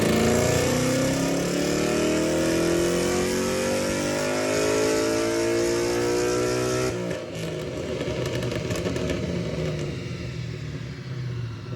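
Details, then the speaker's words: Ford Mustang "Godzilla" 7.3L V8 full-throttle dyno pull during tuning, about 413–416 hp with consistent runs; strong, clean pull climbing steadily then easing off evenly, no misses or knocks; judged a healthy engine. "so i'd have to say this engine's healthy yeah sure because it's consistent"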